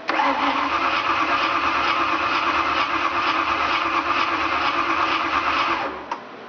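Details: 1988 Ford Thunderbird with a 5.0 V8 conversion, air pump, fan and fuel pump on: the starter spins the engine with a steady whir for about six seconds, but it never catches.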